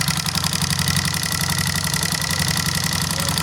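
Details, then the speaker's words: Honda CBR150, noisy and hard to start, at idle: loud, busy idle with a fast, even clatter; camshaft to be checked. "Narinig niyo mga bro yung andar medyo maingay siya. So ang gagawin natin dito mga bro ay bubunutin natin to. Ano kasi iche-check natin mga bro yung camsop nito."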